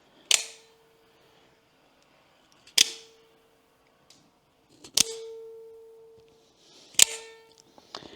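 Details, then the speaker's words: Cobratec Sidewinder front-opening knife with side button: each sharp blade snap leaves a steady mid-pitched hum ringing about a second from the mainspring lacking lubrication; thick grease in the middle would stop it. "отакий гудящий звук це гудить самапружина коли на ній немає додаткового мастила якщо посередині намазати густою смазкою як це робить маicротек в деяких своїх моделях він перестане годіти"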